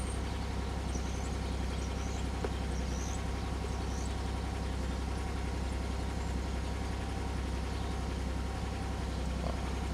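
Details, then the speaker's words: 2003 Pontiac Grand Am 3.4 (LA1) V6, cold, after the misfire repair: a smooth, steady, even idle with no stumble or miss and a slight lifter tick; the scan-tool misfire test passed and the codes were cleared. "It's running so much better. Yeah, I seriously want to know how that..."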